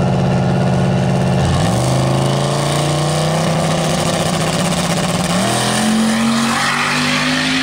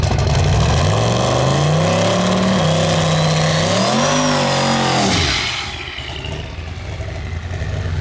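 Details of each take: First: Turbocharged drag car on test pass to the eighth mile with O2 sensor now working: engine note climbs steadily through two quick shifts at full throttle, even and clean with no stumble, no longer breaking up; healthy pull. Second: Drag car accelerating hard at the start of an eighth-mile pass: revs climb then stumble and waver as throttle comes on before clearing; engine breaking up under load.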